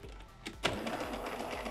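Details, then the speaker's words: Jura A7 coffee machine (ENA/A series), error 8, drive/gearbox problem: strained, uneven whirring with repeated clicks and knocks as the brewer drive labours; broken, cracked brewer unit mechanism binding. "but little by little you can hear how she is struggling, now the error 8 will not appear."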